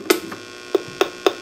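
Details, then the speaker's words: 12AX7 preamp tube in a D-Lab Micronaut II microphonic analyzer; sharp irregular pops and ticks over a faint hum, heard though the scope did not detect it; microphonic from loose internal elements. "I can hear it, but the scope did not detect it. Let me see. She's got some loose elements in there."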